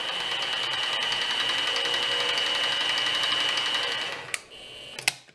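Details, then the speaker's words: Harbor Freight mini mill, unloaded after stalling the bit on a plunge: shrill motor whine with a regular snapping tick about four times a second, then spin-down; broken drive gear, to be replaced by a belt drive conversion kit. "Right before we moved, I managed to plunge into a piece of material, stalled the bit out, heard a snapping sound, and pretty much knew right away what it was. So now, under no load, I'll show you what it sounds like. You can hear a snapping sound."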